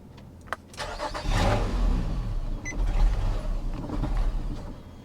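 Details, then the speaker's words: 1982 Cadillac Seville with a battery reading 11.6 volts: it cranks, catches briefly, then dies within seconds, as the fuel gauge shows the tank empty; engine stalls after starting from fuel starvation. "well it tried okay what is wrong with this one sounds like a fuel issue doesn't it oh it is a fuel issue hold on oh she's out of gas"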